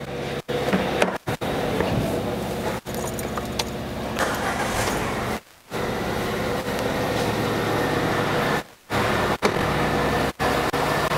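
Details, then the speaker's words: Peugeot engine after full rebuild plus suspension and brake work: starts and settles into an even, quiet idle with no knocking or rattling; running perfectly. "Retífica toda feita o carro funcionando perfeitamente vou ligar o carro aqui para vocês"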